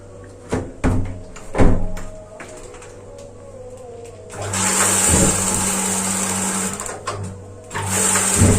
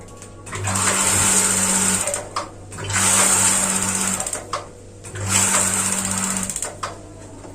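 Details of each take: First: Gas water heater relit after a new LPG cylinder was fitted. The regulator's flow-limiting ball had locked and was freed by tilting the hose. Sharp igniter clicks give way to a steady burner roar: normal ignition, to be run about 10 seconds. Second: Gas water heater after swapping in a new LPG cylinder: repeated two-second bursts of buzzy igniter sparking with no burner whoosh. No gas flows because the regulator's flow-limiting ball has locked shut, which is later freed by tilting or tapping the hose.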